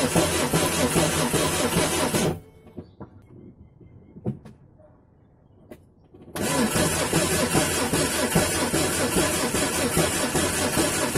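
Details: Renault Twingo C3G engine cranking with an uneven, lopsided rhythm, some strokes spinning through easier than others; low compression on cylinders 2 and 3.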